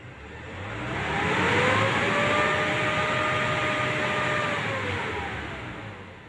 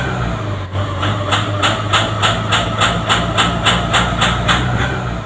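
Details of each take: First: Hot Nissan Navara diesel held at 2000 rpm, running smooth and even after the EGR passage was blocked with a steel plate. Rough, smoky running when hot was caused by the EGR valve staying open. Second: Nissan Navara diesel, hot engine around 2000 rpm: harsh rhythmic rough running with heavy exhaust smoke, only when hot; smooth when cold with normal fuel pressure; EGR valve stuck open.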